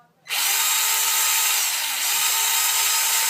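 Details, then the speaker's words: Traxxas Slash 2WD RC truck at full throttle: a high, steady motor whine with no load change and no drive noise; the truck does not move because the transmission is stripped. "how that's full throttle. So you get the idea. It's not moving. You think, oh my God, there's something horribly wrong with it."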